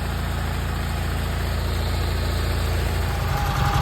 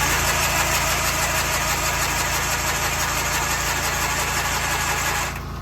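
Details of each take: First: Massey Ferguson 205-4 tractor that had been sitting, mice mess in the air cleaner; float bowl full but carb slow to draw fuel. After battery charging it runs with a low, steady, even beat and no misses. Carb needs slight adjustment. Normal running. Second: Tractor after fuel pump diaphragm was oiled and the carb top refitted: starter churns about three turns a second with no firing; cranking but fuel-starved, pump seemingly not delivering.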